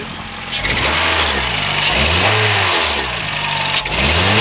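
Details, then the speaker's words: 2007 Honda Fit, 200,000 miles, hesitation at 60 mph, valves likely never adjusted: after one original coil was replaced, revs climb, then sag and catch repeatedly, stuttering; misfire from a failing ignition coil, next coil to be swapped. "good yeah stutter stutter stutter stter stter take take it off and try the second one maybe"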